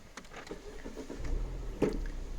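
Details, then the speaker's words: 2007-2013 Mini Cooper S R56 petrol engine restarted after fixing the P2885 boost deviation fault that caused rough idle: a few light clicks, then it catches and settles into a completely stable, even low idle. "you can see that the idle is completely stable."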